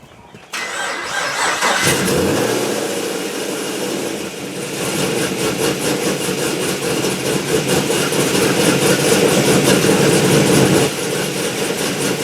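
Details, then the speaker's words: Gen 5 Camaro warm restart after adding homemade washers between each connection to cure a warm-engine low-voltage start: brief crank, immediate catch, rev-up and even idle; starts right up with no hesitation. "I've been driving it all day, turn it off, turn it back on, starts right up, no hesitation, no low volt start."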